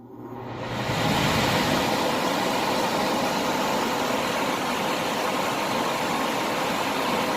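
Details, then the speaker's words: HVAC system with panel door switch engaged, cooling mode: blower motor comes up within a second and holds a steady, even air rush with refrigerant heard running through pipes, no rattles or squeal; blower running normally. "my blower motors running I could hear the refrigerant running through the pipes"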